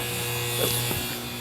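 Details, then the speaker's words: AC outdoor unit contactor: coil gets 24 V control voltage and pulls in with a steady electrical buzz and low hum, but 248 V on line side gives 0 V on load side; compressor and fan not running, contactor bad. "We're getting 24 volts. You heard the buzzing noise. It's not feeding voltage up above it. So this is bad."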